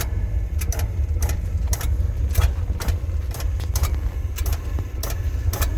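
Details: Oil burner running: steady low roar with sharp, irregular clicks roughly every half second on top; clicking from the burner, cause unclear.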